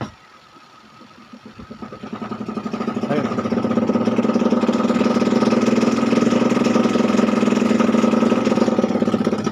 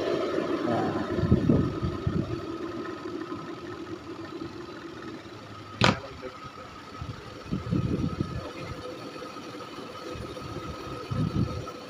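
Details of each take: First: Panasonic twin-tub washing machine spin dryer, which shakes and is very noisy from switch-on: hollow plastic knocking about three per second, building as the tub speeds up; cloth suspected wedged between the tub and spin drive motor shaft. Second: Panasonic twin-tub washing machine spin dryer after removing cloth caught on the tub shaft: only a smooth, steady hum at high spin speed with no knocking or banging; normal spin.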